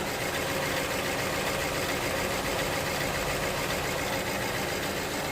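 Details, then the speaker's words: 2009 BMW 318i E90, believed 2.0 petrol, idling with a flashing engine light and a petrol smell at the exhaust: uneven idle with a loping stumble and shaking from a cylinder 3 misfire, with parts already fitted without fixing it. "uh you can definitely see the car shaking it's definitely misfiring no questions asked"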